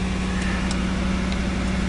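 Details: Vehicle cold-started after sitting 3 days in a blizzard at about minus 40°: smooth, steady low idle with a constant hum and no misses or knocks; engine running healthy.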